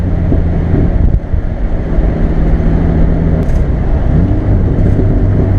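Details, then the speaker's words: Barra-swapped Ford Mustang drift car after the non-firing cylinder one injector was replaced with a set of stock FG injectors: deep steady rumble with smooth pitch swells on throttle blips, no misses; runs great, normal running. "swapped out that injector and then she ran great it was just perfect"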